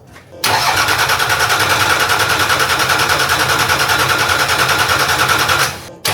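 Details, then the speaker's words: Nissan Patrol with freshly fitted, long-stored TD42 silver-top diesel, just after first start; steady thumping about three per second under the diesel clatter; owner suspects a dry water pump. "there is a bit of like a I wouldn't call it Knocking but it's kind of like a thumping sound coming from the motor I don't really know what it is but I think it could be the water pump"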